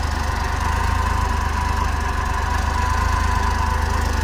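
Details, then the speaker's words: Cold idle at about -12° after a cold start: a fast, puffing tick about four times a second under the low rumble. Owner sees and hears an exhaust leak. "I see I got an exhaust leak, which I can kind of hear it. Oh yeah, right there."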